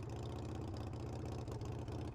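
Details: Harley-Davidson Sportster V-twin after freeing a carburetor float needle stuck closed, no fuel drips; steady lopey potato-potato beat at low idle with no misses or stumbles; running properly.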